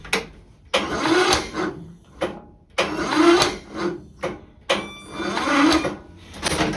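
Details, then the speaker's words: Kohler Courage 20 hp single-cylinder on tractor, push rod had jumped off plus blown head gasket; after refitting push rod and adjusting valves, slow uneven cranking on dying jumper box, about 45 psi versus expected 60, weak compression returning. "as you can see we we started to get some compression there now I can't crank it over like I'd like to um but that at least we're getting some kind of compression"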